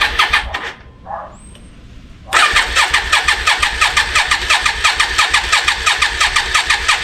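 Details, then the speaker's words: Yamaha Virago 535, 34 years old, last ran 2003, after carb clean and flush: engine catches and races at a high idle with uneven stumbling beats like a misfire; owner suspects carbs or a dead spark, unconfirmed. "So, I've got it running. It took it around the block and it seems to be idling very high and it seems to be like misfiring as well. So, it still could be the carbs or there might be a spark out."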